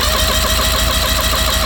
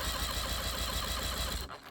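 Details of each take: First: 1984 Mercury/Tracker 40 hp two-stroke outboard, about 30 years old, with a no-start complaint. Compression test while cranking gives a loud, even rhythm and steady starter drone. Cylinder 3 reads 110 PSI, about 15 PSI low, so the rings are slightly worn. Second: 1984 Tracker boat with Mercury 40hp two-stroke outboard (likely 1994 engine), no-start complaint after mouse damage to wiring: steady, even cranking chug with even compression pulses; good spark, cylinder 1 at 125 psi; normal cranking compression.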